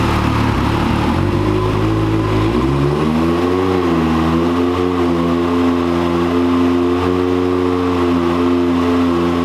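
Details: 2022 Can-Am X3 on the dyno on 93 octane, about 19 psi boost, ~215 hp, stock factory clutch: the engine note shoots up, then hangs flat and high like a free rev under load as the CVT belt slips.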